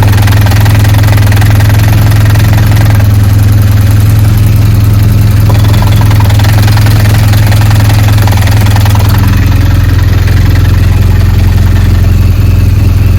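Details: BMW R1200GS motorcycle at idle: loud steady idle with a low droning hum and faint rattle underneath, pointing to gearbox noise.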